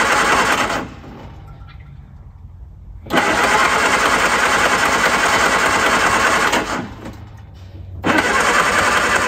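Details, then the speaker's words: Classic car being started with a small Topdon jump pack. Two long bursts of even cranking at about three and a half turns a second; it almost starts but never catches to an idle, and the pack must be disconnected before retrying. "all right the engine almost started there and the jump pack detected that and i have to disconnect it before i can try again"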